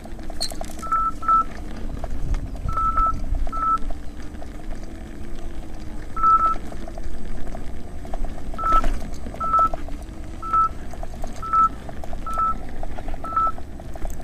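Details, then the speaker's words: Nikola electric unicycle (84 V) climbing Overheat Hill, starting at 40 degrees wheel temperature, with the alarm set at 90 amps: short high beeps every second or so over a labouring motor hum; overcurrent warning beep. It later failed with blown MOSFETs. "let's see how it goes listen for the amp alarms and now I'll read off the temperature"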